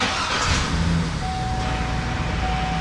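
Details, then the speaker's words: Engine restart early morning after coolant level stabilized, checking for an intermittent fuzzy noise heard at first start and shutdown: catches, steady even idle, faint thin whine, no fuzzy noise; AC compressor sounds normal. "no didn't do it it's not the ac system or compressor making the noise that compressor sounds pretty normal"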